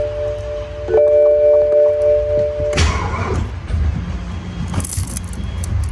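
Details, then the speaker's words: Abandoned auction E93 BMW M3, dash full of warnings: chimes ring, then a brief dull clunk and electrical buzz with no cranking; voltage drops from 12 to 6.5 V under load, suspected bad battery not holding charge. "it won't even have enough to turn over the car at all oh there we go 6 and 1/2 volts"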